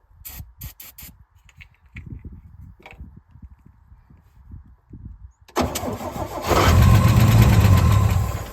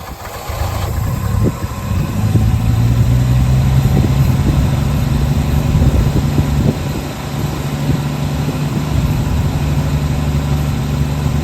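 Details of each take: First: 1966 Chevrolet C10 shortbed farm truck, last licensed 1979, no fuel coming from line: few cranking clicks, then engine catches, roars about three seconds and fades; fuel starvation, runs only on brake cleaner sprayed in carb. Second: 1966 Chevrolet C10 shortbed, last licensed 1979, revived farm truck: catches then holds steady, even idle with low smooth hum, no misses or knocks; idles fine on its own.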